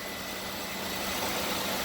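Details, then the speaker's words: 2000 Buick LeSabre Custom, 3800 Series II V6, 136,000 miles, idling on ramps after an oil change. Steady even idle hum with no knocks, ticks or misses; engine healthy. "Typical 3800 Series 2 engine. She sounds really, really good."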